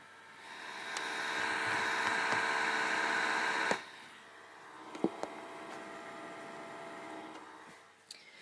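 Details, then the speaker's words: PS2 Slim with a faulty disc spindle motor: the small cooling fan gives a steady, even hiss at a constant speed with no rise or fall, probably its maximum speed. "cooling fan still sounds like the same speed but obviously um that's probably the maximum speed it could go"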